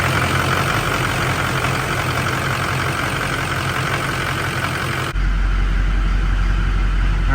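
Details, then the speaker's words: Duramax diesel with dual CP3 pumps and dual fueler controller: steady idle with hard even rattle on top at about four a second; rail pressure reading 26,000 PSI at idle, wide open. "right we're reading 26 000 PSI at idle that's insane it's wide open that's kind of cool"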